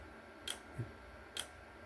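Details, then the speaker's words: Voltage relay in a self-oscillating circuit, voltage turned up: sharp dry clicks with softer thuds between, under one per second, relay chattering on its own coil; a nearby permanent magnet raises the frequency. "And it's oscillating. So you can see it's working there. You can hear it clicking away."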